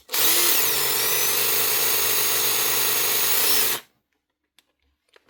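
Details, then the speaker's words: Makita 18V brushed drill with brushes about half worn: a steady high whirr with a gritty, uneven edge; something rough in the gearbox, likely lack of oil on drying steel bushes. "Something rough going on in there. Not that it really matters, it's not going to be worth fixing anyway. I think that's just about more so a lack of oil."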